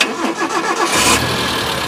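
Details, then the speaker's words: 2005 Suzuki Carry Futura DRV, dry engine, good oil, normal temperature: brief starter whir, catches at once and settles into a smooth, soft, steady idle with no metallic or other abnormal noises; normal start. "suara langsamnya dia stasioner masih anteng masih bagus empuk ini halus halus halus suaranya dia masih halus masih normal"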